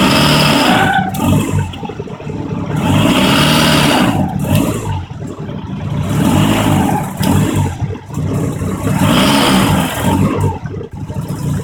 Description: Car squeals when accelerating from a stop and sometimes shifting gears. It happens when the clutch engages, pedal releasing. When rpm drop to match input shaft speed.